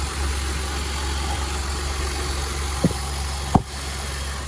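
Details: 2011 Dodge Nitro 3.7 after idler pulley replacement and refitting the serpentine belt that fell off: steady, even low idle with no squeal or chirp, just a couple of light clicks.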